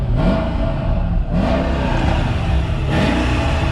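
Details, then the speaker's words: Mercedes E55 AMG Kompressor estate, supercharged V8 with M113 engine, stock exhaust: three quick revs climbing smoothly and dropping back to a steady deep idle with no knocks or stumbles; a healthy, fairly subtle engine. "it sounds pretty good let's take a walk around with the engine on yeah when it's idling the store fairly subtle it's not obnoxiously loud like the newer cars see"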